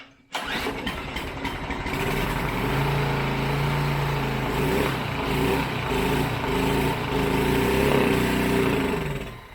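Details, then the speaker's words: Briggs and Stratton five-horsepower four-stroke air-cooled mud motor revived after long storage: catches on primer and runs unevenly for several seconds before fading; owner suspects it isn't picking up fuel from the vacuum fuel pump. "I'm Gonna Keep it running when I get going this next time it's running longer and longer thinks he's about to pick it up oh come on now that was nice"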